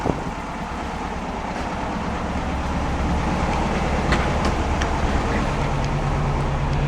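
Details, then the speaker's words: Engine revving (fine at idle, worse when cold): loose tinny rattle creeping in over the rumble; owner suspects internally rotted muffler, possibly the fan coming apart. "I'm pretty sure the muffler internally is rotted out and it's rattling but it could be the fan also they kind of mimic that same noise"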